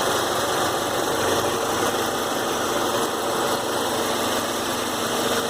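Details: Warm Saab 9-3 2.0T held at about 3000 rpm: a hissy, even roar with light clicking buried in it; cause unknown.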